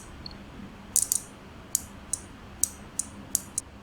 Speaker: இப்போ coil touch ஆகும்போது உங்கள் நார்மல் க்ளோஸ்லேருந்து நார்மல் ஓப்பன் ஆகிடும்.